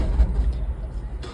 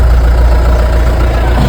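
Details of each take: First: Mahindra Bolero pickup with check light blinking at key-on: starter churns unevenly with no catch; crank no start, fixed by disconnecting the wire for 10 seconds and reconnecting. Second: Mahindra Bolero pickup diesel that would not start while the check light blinked, started after disconnecting the battery for 10–20 seconds: settles into an even low idle rumble with no misfire or knock.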